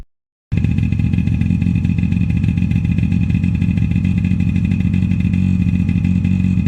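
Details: Suzuki LT50 two-stroke, after fixing a no-start caused by the crank seal falling out (seal refitted with epoxy): buzzes steadily at fast idle without misses or stumbles; normal running after repair.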